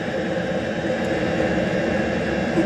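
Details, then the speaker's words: Diesel heater temporarily wired up at a cabin, with its thermostat cover off and a spin dial for temperature, kicking out a lot of heat. It has a constant jet-like roar and steady fan whir with no pulsing, popping or sputter: normal operation at full heat. "But that's kicking out a lot of heat now. Really pleased with that."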